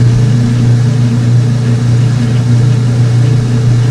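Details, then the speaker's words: Old washing machine draining during spin with a towel load; drain pump gives a loud steady low hum, heavy and rough, described as old drain pump sound. "Over here, it's still neutraling. Old old drain pump sounds."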